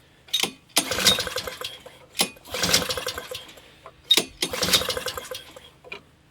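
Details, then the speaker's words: Free, discarded Honda HS520 four-stroke single-stage snowblower: repeated recoil pulls with brief chuffing turnover that never catches; owner thought it was flooded, but the engine is dry with zero fuel reaching the cylinder. "So, for some reason, I've got zero fuel in the engine when I thought I was flooded. So, what that means is I'm not getting fuel in there somehow."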